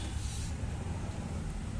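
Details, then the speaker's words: TVS Jupiter scooter after repairing the clutch pulley: running with the wheel turning, the drive gives a steady, even low rumble, and the earlier chirping is completely gone. "देखो बिल्कुल भी sound नहीं है इसमें अब पहले चिर चिर चिर चिर की आवाज थी तो आवाज बिल्कुल खत्म हो चुकी"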